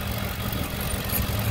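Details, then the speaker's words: 2008 Ford Expedition 5.4L 3V V8 after VCT solenoid replacement and timing chain job: smooth, steady idle with no timing chain slap or cam phaser clicking, unlike before the repair. "as you can hear it's a lot smoother sounding you don't hear that chain the timing chain slapping around there's no plastic which you don't hear the cam phasers clicking"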